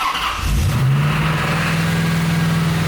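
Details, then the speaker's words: Inherited C4 Corvette V8 just reassembled and running, fresh Holley plugs, coils and wires: catches and settles into steady even low rumble, no skipping, slight smoke that may clear; sounds smooth, healthy. "All right. Sounds smooth, not too loud. Bring it a little higher. A little higher. All right. A little bit of smoke. It might clear out though. Sounds good."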